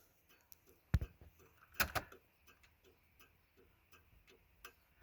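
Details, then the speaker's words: 1993–96 Cadillac Fleetwood after replacing the turn signal flasher relay, clipped to the metal rail that acts as its sound board: quiet, evenly spaced, steady clicks in the cabin, working normally though a little quiet. "it's a little quiet but not bad"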